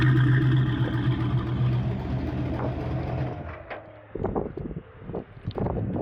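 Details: 1974 turbo Camaro pulls hard under load, then fades and stumbles into ragged pops and sputters; cylinders on one bank had stopped firing and a cold header was noted, suspected blown header gasket causing misfire under load.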